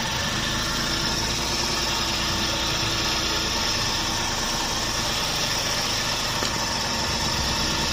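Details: Suzuki DA64V van, flood-damaged with crank-no-start and water reaching the piston, now repaired: steady, even idle with hissy top end, no knocks, stumbles or dropouts; running smoothly.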